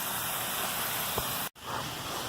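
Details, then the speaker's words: Residential sprinkler zone after broken riser repairs, run by the anti-siphon valve knob: steady even spray hiss with much more pressure, then cut off abruptly to a fainter wash of water; back to normal. "It's got a lot more pressure. Looks like everything's back to normal."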